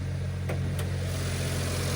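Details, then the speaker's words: Stock three-cylinder kei car at auction: steady, even low throaty rumble at idle with no knocks or misses; healthy. "This sounds throaty and good."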